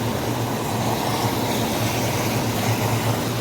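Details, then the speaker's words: Hot tub pump two running after a slow start, during air purge, following the pump replacement: steady low hum with even rushing water, no surging or rattle; running well. "now that's what I'm talking about"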